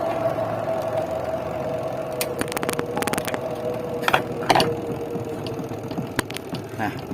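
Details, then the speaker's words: Denpoo two-tub washing machine whose spin-dryer would spin only intermittently, because the spin tub's automatic switch was not being pressed properly. With the switch pressed, the dynamo gives a steady, even, mid-pitched hum with a few clicks; it spins fast and healthy. "here, it's already going to spin, and the dynamo part is there. It's spinning very fast"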